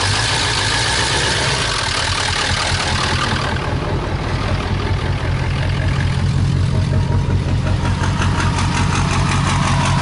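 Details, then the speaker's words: 2000 Ford E350 van 7.3L PowerStroke diesel whose block froze and cracked from plain water coolant; loud idle with heavy, fairly regular knock about three per second over diesel clatter, something wrong internally, cause undetermined, with some blow-by. "Bop, bop, bop, bop, bop, bop, bop, bop, bop. You hear a diesel idling like that, there's definitely something wrong."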